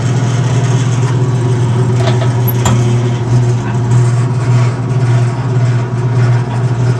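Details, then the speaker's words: Maytag E2L wringer washer fitted with a new power cord, motor reinstalled and running, agitator control engaged: steady low motor hum with an even churning beat near 100 per minute; gearbox-driven agitator running normally. "motor is now running so I'm going to pull out the agitator control and test the agitator"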